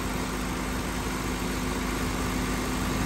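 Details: 2013 Honda Civic A/C, charge topped up from about 100 g short to the 425 g factory spec. High side fell from 206–209 to about 185 psi and low side held at 21 psi. Even, unbroken compressor hum with no cycling, knocking or rattle.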